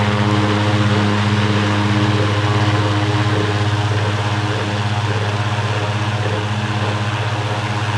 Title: loud fan motor